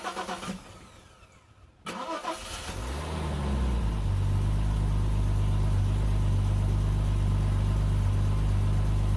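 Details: Bitter SC 377 with Bosch L-Jetronic and a hot-start problem, tested with a 4.6 kOhm resistor faking low temperature: a short crank catches within a second and settles into a steady low idle. Fuel pump sounds worn; owner suspects the temperature sensor.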